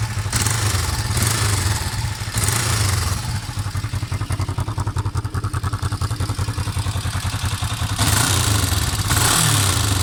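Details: Kawasaki EX500 motorcycle idling: fast, dry ticking clatter over the exhaust note; valve clearance adjustment did not cure it, cause undetermined.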